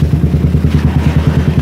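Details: Suzuki Satria FU single-cylinder idling after the exhaust camshaft decompressor was removed: even, steady low thumping at about nine beats a second, with no ticking or clatter; the earlier tek-tek ticking is gone and it idles smoothly.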